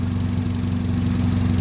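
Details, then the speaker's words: 2001 Honda Civic EX 1.7 four-cylinder after a no-crank, no-start was fixed by rewiring a rotten starter wire: smooth, even low hum with steady pitch and no knocks or misses, a healthy idle. "so now it started as you can hear it running"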